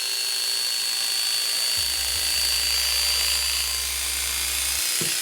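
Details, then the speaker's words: Hair clipper after oiling a previously dry, rusted, unsharpened blade: steady high-pitched buzz that picks up speed and evens out; freer running once lubricated, though blade still dull. "it speed up, sounds better. But that's a non-sharpened blade."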